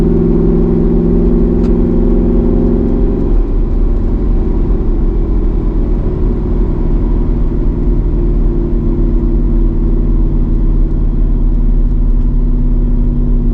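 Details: Mercedes C55 AMG, driving after a crankshaft position sensor replacement: the engine holds a steady elevated drone around 2,000 rpm instead of dropping back to idle; revs hang on deceleration, cause not yet found.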